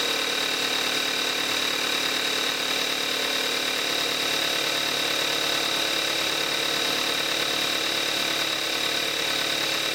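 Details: 2014 Kia Forte5 2.0 GDI, 41,000 miles, Amsoil 5W-30 synthetic, cold start, camcorder mic. Steady idle with a fast, light injector tick over a smooth hum and no knocks or misses. Normal cold-start idle.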